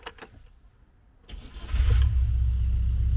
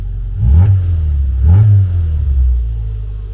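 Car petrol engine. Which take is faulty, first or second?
first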